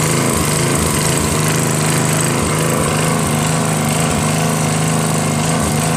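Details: Northern Hydraulics pressure washer, Briggs 3.5 hp engine with primerless vacuum fuel reservoir, unused 8 years; after starter fluid start and fixing hose, wand and clogged rusted tip, steady even engine drone with spray hiss, no misses; running normally.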